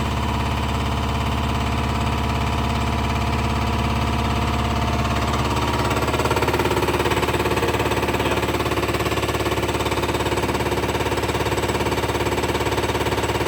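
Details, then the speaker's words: Diesel truck spare injector, kept in a side box, on a test stand after warm-up flush: steady mechanical ticking about 2.5 per second that turns rougher after six seconds, unlike a Detroit injector tested earlier. The stand shows it failing; bad injector. "That's going to be a bad injector, yeah. It's crazy. I've had that in my side box for a spare."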